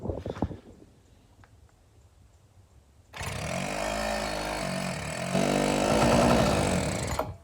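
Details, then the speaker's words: GoPed gas stand-up scooter with a small two-stroke engine; spark confirmed at the plug and carb cleaner sprayed in. It catches and buzzes unevenly for about four seconds, then cuts out. Owner suspects the fuel tank or carburetor. "Fired a little bit. Okay. I don't know what's going on with this fuel tank or this carburetor, but I'll mess with that a little bit, and we'll see if we can't get a little bit more life out of this thing."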